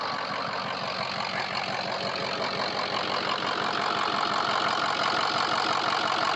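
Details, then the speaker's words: Diesel truck after all 8 glow plugs were replaced; the once choppy exhaust now sounds solid. Even clatter at about three beats a second, steady and unbroken. Number 3 injector still due for replacement. Normal cold idle. "That exhaust is not choppy at all. It actually sounds really good, really solid."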